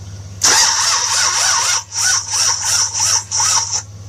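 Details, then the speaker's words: 1966 Buick Riviera GS 425 Nailhead with HEI distributor, spark checked with wire clamped to distributor: slow, sluggish uneven cranking about three pulses a second, inconsistent spark, never catches; owner suspects cranking too slow; slow crank, no start. "i'm about to turn it over the spark is there it's really inconsistent i want to say part of the problem that it's not turning fast enough but"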